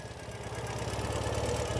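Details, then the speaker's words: 2014 Ural Patrol 2WD sidecar motorcycle, cold start on a winter day, not warmed up: fires on one turn, steady, even low rumble at idle with no knocks or misses; normal cold idle. "Fires right up, literally one turn of the starter. Once the starter engages there, one turn and it fires right up. Idles super nice. It is pretty cold today."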